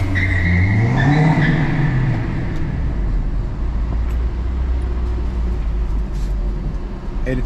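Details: Acura RSX test drive after finding the rear lug nuts loose and tightening them: steady road rumble and engine drone with no clicking or clunking from the rear; the earlier weird noise is gone and the wheel is secure.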